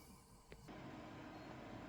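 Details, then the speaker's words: Pentium 4 Advent PC case fan, checked after dusting: a click, then a steady, fairly loud rushing whoosh, not much louder than the power supply fan. Owner hopes a 3-pin connector will let it run quieter. "so this power supply I mean this fan it's quite loud not too loud not much louder than the power supply fan"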